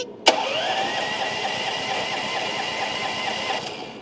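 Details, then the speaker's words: Starter after the stuck Bendix was freed by tapping it with a hammer: sharp click then steady whirring drive turning the engine over evenly; clean engagement. "You hear the difference? So, you can hear it click, right?"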